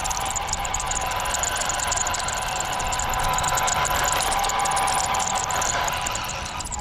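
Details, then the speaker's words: Tamiya Bigwig RC car being driven: constant thin high squeal, steady in pitch, over the rolling rumble. Owner suspects the cheap stock kit bearings with dirt in them; cause unconfirmed. "Boy, it's so nasty, that squeak. Anyone else ever have the squeaking problem? Let me know how to cure that."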